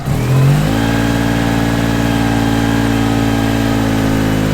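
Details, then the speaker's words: 1987 Daihatsu Charade GTTI 3-cylinder turbo, revived after sitting 10 years: starts cleanly, revs crisply and settles to a smooth even run with no misses or knocks; normal running. "Sounds pretty sweet, doesn't it?"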